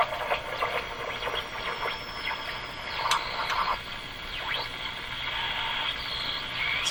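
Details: Eaton's Universal Electrohome floor-standing tube radio, heavily modified by a previous owner, during an IF alignment check: a thin, wavering whistle sliding around near 4 kHz over faint garbled audio, with the receiver on the edge of breaking into spurious regenerative oscillation.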